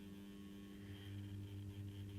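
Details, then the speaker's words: Accurascale Class 31 model diesel locomotive, new, crawling slowly in reverse: a steady low buzz with a faint higher whine that sounds unhealthy; owner thinks it is not the main driving motor; buzzing at crawl speed. "let's try it in reverse come on keep going it sounds so unhealthy but it it's I don't think it is the main driving motor"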